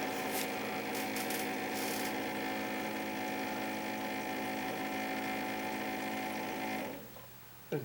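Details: Keurig K60/K65 after clearing pump blockage and cleaning nozzle: steady even buzzing hum about seven seconds, then clean shutoff as pump refills internal hot water reservoir after dispensing, heater drawing about 1200 W; normal refill cycle after repair.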